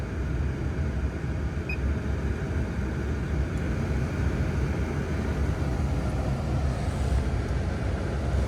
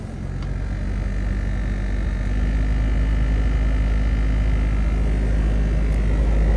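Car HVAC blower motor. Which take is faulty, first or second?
second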